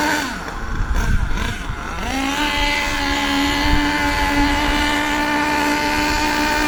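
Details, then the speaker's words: HPI Savage nitro RC monster truck engine, warmed up, before high-speed needle adjustment: steady lazy buzz climbing slowly, heavy smoke; running rich and sluggish, needs high-speed needle turned in about 1/8 turn. "Now, as I'm sure that you can hear, it's very slow and very sluggish because it's rich at the moment. A lot of smoke, very slow."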